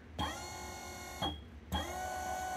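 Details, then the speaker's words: DIY 6DOF motion simulator control box first test, 24 V supply, motor drawing about 1 A / 24 W: short runs of clean, even electric whine, one direction slightly higher pitched, starting and stopping crisply, normal motor run. "okay and you can see this is the model number six you can see about 1 amp power draw 24 wat okay that's good the other direction sounds higher I don't know why"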